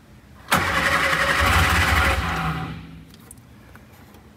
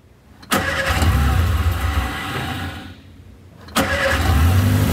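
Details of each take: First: Shorrock-supercharged Austin Healey Sprite first start attempt, oil pressure and fuel confirmed, spark plugs refitted: about two seconds of steady cranking with no catch. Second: Shorrock supercharged Austin-Healey Sprite, first start after spark plugs refitted with oil pressure and fuel confirmed, choke held out: starter churns, engine catches after a couple of tries and settles to a steady idle with brief blips; normal start and idle.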